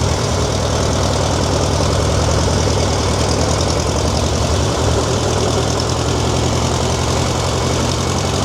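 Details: Tractor: a fast, even chug held at one raised speed that never returns to idle. High idle; the governor seems seized, not confirmed.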